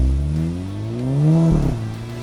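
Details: VW Golf GTI Mk5 drive-by after Stage 1 tune with pops and bangs and downpipe fitted, about 250 wheel horsepower up from 200; note climbs smoothly in pitch as it passes, then crackles on lift-off: healthy tuned exhaust.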